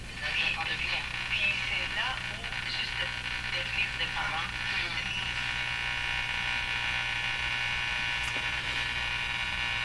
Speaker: so the only noise we can hear is this terrible buzzing